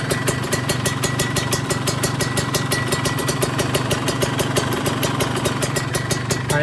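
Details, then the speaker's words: Kawasaki Ninja 150 two-stroke with filter fitted, at idle: fast even metallic tick about six or seven a second, source said to be the cylinder head, not the exhaust; thin smoke, cause not confirmed. "sumber suaranya itu dari head teman-teman. Ya, tek tek tek tek, reng reng reng reng reng, bukan suara knalpot ya."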